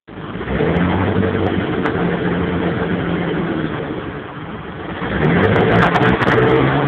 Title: 92 3000GT VR4 misfiring issues